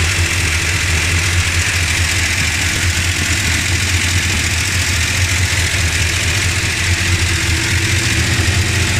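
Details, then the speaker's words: Dodge Ramcharger at idle in winter, before replacing pushrods, rockers and rocker shaft: steady idle with a light, fast ticking riding on top, following engine speed; valvetrain tick from worn pushrods and rocker gear. "I've ordered some stuff pushrods rockers rocker shaft and trying to get rid of this this tick in the motor and I'm gonna start it up for the last time before this change to compare the sounds before and after"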